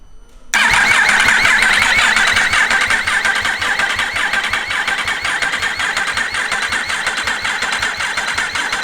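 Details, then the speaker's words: Yamaha R1 race-bike rebuild, engine freshly installed and oiled, no fuel tank or upper injectors, in neutral: a quick, even whirr of the starter spinning it without firing, a dry crank to build oil pressure. "crank it over to try and get oil pressure up and make sure your light goes out of the dash"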